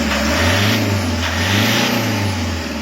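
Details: Toyota Hiace 2KD diesel after overhaul for knocking (number 3 cylinder piston and liner scratched, fitted 0.50 oversize); steady even idle, smooth low rumble, no knock or tick: running normally, problem solved.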